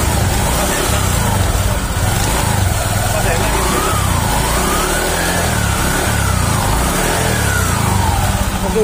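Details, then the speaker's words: Honda Vario 150 LED (K56) CVT after cleaning and reassembly, previously rough clattering on initial throttle: even steady drivetrain hum, no grinding or rattle under light throttle; normal CVT running. "sini sudah sangat halus, sudah enak seperti semula."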